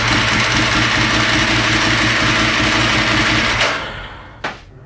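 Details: Ducati 916 fitted with a 1098 engine, RS-inspired build just finished, warming up to temperature: loud, even V-twin idle with a steady low beat and no knocks or rattles, then revs drop away; healthy running engine.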